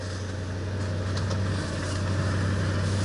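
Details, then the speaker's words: 1966 Mustang V8 warming up on choke, choke backed off halfway: steady, even low idle rumble with no knocks or rattles; sounds good. "yeah I'll spin up the a little bit warm up the oil back the choke off about halfway and sounds good we are ready"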